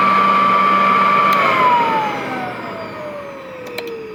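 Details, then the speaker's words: Vintage Royal 153 vacuum motor run freshly oiled with belt removed, no load: clean, steady high whine, then pitch slides smoothly down as it coasts to a stop with no grinding. "So let me let it run for a bit with no belt."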